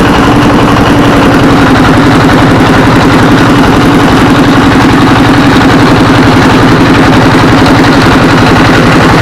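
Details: Single-cylinder 24 HP S1115 diesel with black smoke and unstable, hunting rpm (governor and balls fine) runs at a steady, even thump without hunting after the injector assembly and pump plunger were replaced; normal running.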